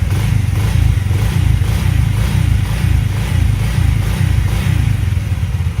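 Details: Alpha Delta Vento 110cc moped running after a knocking suspected-fake piston was replaced with a supposedly original one (valve clearances unchecked): low, even thrum with no tapping or knock; it now runs whisper-quiet and healthy.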